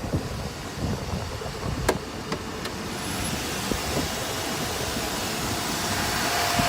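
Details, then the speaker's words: 2000 Chevy Suburban: engine cranks and runs steady with no knocks or misses. The owner notes a whine and that it won't go into reverse; transmission failure suspected. "so see it still runs good cranks up nothing wrong with that and I can still drive it"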